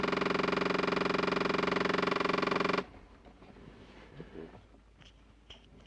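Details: Toyota Sienna: fast, steady mechanical clicking from behind the dash by the driver's feet, continuing regardless of selected vent mode, then cutting off abruptly; cause suspected, not confirmed.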